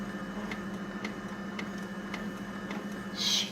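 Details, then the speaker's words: Konica Minolta C227 copier: sharp light taps about twice a second, evenly spaced over a quiet hum. Abnormal tapping noise, cause unknown. "Now I hear a tapping noise. Hear that, guys?"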